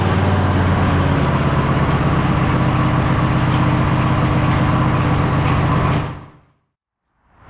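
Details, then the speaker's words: MTD White Outdoor GT2550 garden tractor, 25hp Briggs & Stratton V-twin: steady even idle, regular beat, no stumbles or pops until shutoff. "And after the carb clean I did yesterday, it definitely idles better. You could hear that. I would probably rate it like 95 out of 100. It's not absolutely perfect, but it's certainly smoother."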